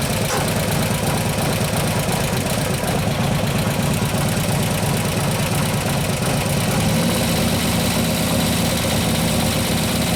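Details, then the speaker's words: 2015 Harley Road Glide FLH 103ci Twin Cam after a cam install: loping V-twin idle with a light, quick tick in time with the engine. Most of the noise seems to come from the front intake lifter. Lifter tick. "alright so sounds like it's the front front lift your front intake sound like most of noises from its even the chain screws in here aren't pumping out but we got to lift her name pumping off one of the other obviously something's making noise"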